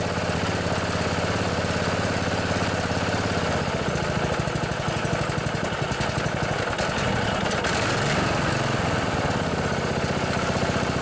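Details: Old Murray riding mower repowered from flathead to Briggs & Stratton Intek 14.5 hp industrial commercial gold OHV single-cylinder engine, running: steady even thump with slight mid dip, then settles, no knocks or misses; runs normally.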